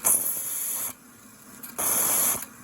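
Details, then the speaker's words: Homemade 18 oz steam injector on a 5-inch gauge Manning Wardle locomotive, with the water valve trimmed almost fully back: a steady sharp hiss in bursts and a smooth, even roar, with no sputter or break-off. It is lifting and feeding the boiler well. "so trim the water right back it's feeding quite good"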